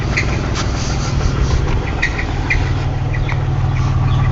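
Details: 1998 Pontiac Grand Prix GT, 3800 3.8L V6: rough idle with a deep low rumble and sharp knocks tapping through it, a confirmed rod knock.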